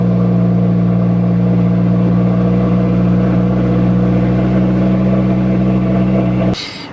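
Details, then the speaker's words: 2015 Subaru WRX after one day of modifications and reflash, with MAF sensor and intake temp codes: steady low engine drone with a slightly uneven beat and no crisp revs; rough running because the MAF was left unplugged. "right so we've got a math circuit and intake temp sensor now that I'm thinking about it I may have not plugged the math back in so let's do that"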